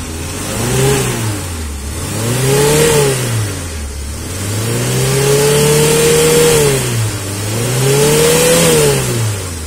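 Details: Suzuki Carry 1.0 that died suddenly while driving, after fixing broken spark plug wires, worn with age: engine revs up and settles back smoothly several times, pitch rising and falling cleanly without stumble.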